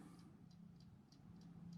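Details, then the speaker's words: TORK A512H spring-wound in-wall 12-hour twist timer, shut back off: light, even ticking about three per second over a quiet room, still ticking as the spring runs down; normal. "You can hear it ticking. I'm going to shut it back off. See if that ticking just goes away while we look at the manual. Still ticking."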